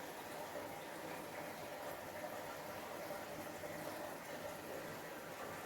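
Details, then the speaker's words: Resealed moray eel aquarium with a Jebao pump at about 4,000 L/h: constant, rhythmless splashing as water runs off the egg crate overflow too strongly. A channel sponge was planned to muffle it. "I'll muffle down that noise that's just running off the egg crate."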